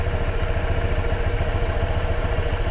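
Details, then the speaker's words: New Honda Click 125i scooter at 765 km on the odometer: an even, quiet, low putter at idle with a steady rhythm and no rattle or ticking; normal idle. "765 odo tayo, ganito katahimik yung ating makina."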